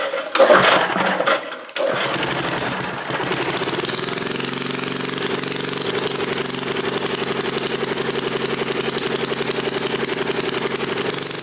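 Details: 1977 Briggs & Stratton Model 8 3HP engine on a water pump, not smoking; steady even putter after a few pulls, sounding a little above 3600 rpm. Normal running; the pump earlier vapor-locked from a rusted muffler hole heating the carburetor.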